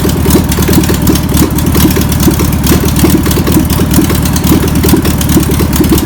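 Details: Air-cooled engine of a VW pressed-bumper-panel bus, stored over 50 years, idles after penetrating spray and fuel are added. Loose, slightly uneven putter with about two firing pulses a second; self-running but untuned. Owner suspects a bad fuel pump. Deemed a runner.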